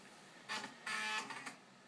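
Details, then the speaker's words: Amiga floppy drive formatting a disk in Workbench: a quiet drive hum broken by quick buzzy stepping bursts as the stepper motor returns to track zero to find its position, then back to the track being formatted, a head recalibration. "that is the sound of the stepper motor going back to track zero and then back to the track it's trying to format and why is it doing that well it's trying to use the check zero detector in order to find out where it is"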